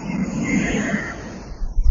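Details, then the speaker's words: CRT TV switched on, EHT (anode) cap on the high-voltage lead: a steady, high, airy hiss like escaping air, from slight sparking at the worn cap even though it looks fine. The fix is replacing the EHT cap. "तो यहाँ पे on कर दिया है हमने और यहाँ पे थोड़ी हवा खिसकने जैसी आवाज़ आ रही है, आप सुन पा रहे होंगे।"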